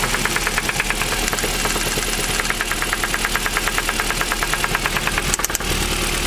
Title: Стук в движке, как стучит провернутый шатун. Причина, разборка и ремонт.